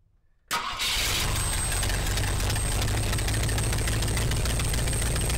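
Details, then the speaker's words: 1967 Ford Galaxie 500 four-door revived with fresh gas, new fuel line, jumped coil and a battery, carb not cleaned: fires up instantly after a brief crank, then steady idle with a sharp rapid puffing tick from a really bad exhaust leak. "really bad exhaust L uh but it starts right up"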